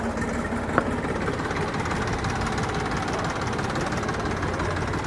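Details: Freshly rebuilt Massey 241 tractor, engine still new and being broken in: even, steady diesel idle with a smooth low throb and no knocks or rattles. Normal idle.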